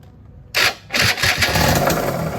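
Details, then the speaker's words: Yamaha F1ZR two-stroke started without the clutch housing: catches after a couple of bursts, then a harsh rough rattling grind over idle, not from the clutch housing (which has fore-aft play); possibly a worn crankshaft bearing seat, not confirmed. "Wah. Suaranya dari mana itu? Berisik banget suara grok. Ya bukan dari rumah kopling ya guys suara berisiknya."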